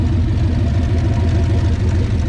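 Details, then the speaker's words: 1969 Plymouth Valiant, turbo 360 Magnum V8 on new cylinder heads, idling after a warm-day neighborhood test drive: steady, even low idle with no knocks or misses; no smoke, nothing leaking, runs great; normal idle. "Runs great. I think we're good."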